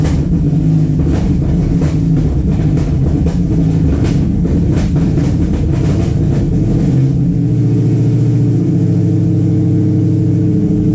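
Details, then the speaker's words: Widebody Fox Body with cammed built Coyote V8, ported Boss 302 heads and Whipple supercharger, first start after 3 years: loud lumpy idle with uneven pulses and stumbles on throttle blips, seems to be missing; owner suspects timing off or misfires. "okay so I was on the phone with my dad and we got the thing kind of running but it runs like dog [ __ ]"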